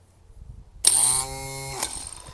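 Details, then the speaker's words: Replacement starter for a Craftsman riding mower with a Kohler engine, bench-tested: a sharp click as the drive gear throws up to engage, a short even whir, then a click as it retracts. Normal starter engagement, unlike the stuck original. "so you can see how it goes up to engage and then comes back down so that's what it's supposed to look like"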